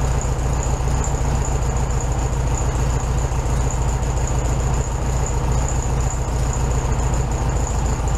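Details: 1967 VW Beetle 1500cc, warm idle after carburetor reinstalled with new base gasket (second fix attempt); steady, even low putter, no misses or hunting, idling slightly high; owner undecided on turning it down, will test drive first.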